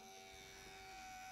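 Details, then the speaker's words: 2005 Thermaltake Tide Water GPU cooler pump, only the pump connected, after adding distilled water to clear trapped air: thin high-pitched whine over a faint hum, then abrupt cutout; still running dry, spins intermittently; electronic fault suspected. "still running dry the pump seems to have some kind of electronic problem I think at least I mean it spins from time to time this is really odd"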